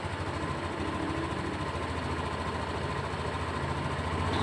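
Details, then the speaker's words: Honda Beat Deluxe fuel-injected scooter at idle, scanner reading 1500 rpm, 52 °C engine temperature, injector 2.4–2.5, near normal; steady, even low putter with no hunting or stumbling; normal idle. "Nah ini nah itu kan mulai turun RPM di 1500 suhu di 52 derajat ini injektor terbaca 2,4 2,5 itu sudah mendekati normal anggap aja itu sudah normal"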